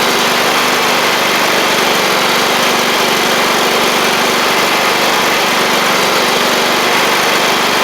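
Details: Free John Deere L110 riding mower after replacing a faulty fuel pump that was flooding the engine with too much fuel: a steady, even single-cylinder drone with no misses, surges or knocks, now dry at the fuel line; normal running.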